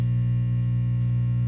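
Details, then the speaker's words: Silvertone 6050 tube radio powered up through dim-bulb tester at about 100 V AC: steady deep unchanging speaker hum, no program audio; cause not pinned down. "There's our hum noise back. 100 volts AC."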